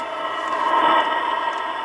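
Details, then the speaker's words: TABODD 12V 5kW diesel air heater installed under a camper, recorded at the exhaust outlet, the noisiest part: hollow steady rushing roar easing as it spools down after heat was turned down; normal exhaust noise. "This is where the exhaust comes out. And you can, this is the noisiest part, and you can actually hear it kind of spooling down a little bit. It's kind of getting less and less. That's because I turned the heat down."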